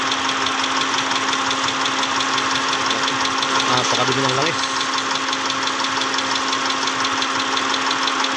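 A steady idle with a regular knock, roughly three per second, riding over the engine; a clear knocking fault, cause not yet pinned down.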